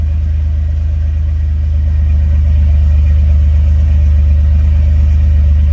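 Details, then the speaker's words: 2003 Dodge Ram 1500 just after fuel pump replacement: fires right up into a strong, even low rumble with a steady beat, no misses or knocks and no fuel leaks; idling smoothly and healthy. "You hear it? She's running."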